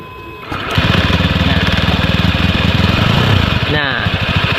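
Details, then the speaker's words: Honda Scoopy with a klotok-klotok knocking complaint from the CVT, started with the CVT disassembled: steady, even idle with no knocking, showing engine and con rod are fine; worn clutch linings and slider rubbers are at fault. "halus kan? Tidak ada bunyi kelotok-kelotok dan halus. Berarti di dalam mesin aman, setang aman."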